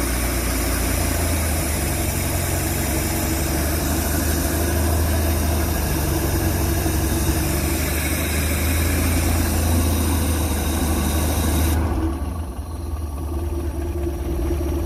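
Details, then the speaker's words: Pinzgauer engine started with a little choke and about five quarts of oil in it: a steady, even low rumbling idle with no misses or stumbles; idles smoothly and healthy. "actually works pretty good this one's really good actually"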